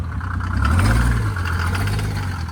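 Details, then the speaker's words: 1986 Mercedes 300D with turbo OM603 diesel, now with larger Holset H1C turbo and intercooler, driven after it cleared out: deep even drone that swells and settles without misses or clatter; sounds much better, clean and healthy. "You can hear it sounds much better, man."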